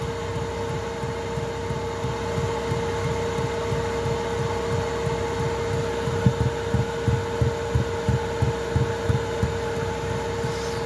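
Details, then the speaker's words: Chinese 2 kW 12 V diesel heater in a VW Transporter T4, boxed in, running at full power before the fuel pump noise fix: a steady hum with a regular low thud about three times a second as the pump knocks against its housing. "off and you can hear a tickin [Music] for that tickin I don't know how much of the phone will pick that sound up"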